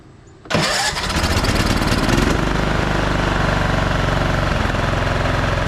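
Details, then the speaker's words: Craftsman T1200 riding mower single, rescued from scrap, after fixing a compression release and valve problem: it catches right away into a steady, even beat. The earlier gargling and popping are gone, though some oil needs to burn off. It runs normally. "I'm sure you guys can hear the difference on that earlier it was gargling and popping definitely has some oil that needs to burn off yeah that valve valve way way out this thing sounds way smoother"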